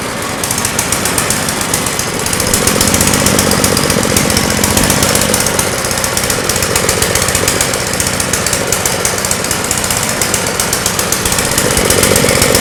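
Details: Generator running on a homemade tri-fuel conversion kit; loud, harsh chatter with uneven pulsing, hunting as if fuel-starved: rough running. Owner suspects the hose's tiny inner diameter restricts flow; unconfirmed.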